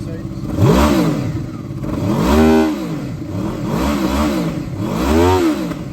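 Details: 2007 Honda VFR800, 36,000 miles, upgraded exhaust: four clean throttle blips with pitch rising and falling smoothly over a deep exhaust burble; revs freely and sounds healthy.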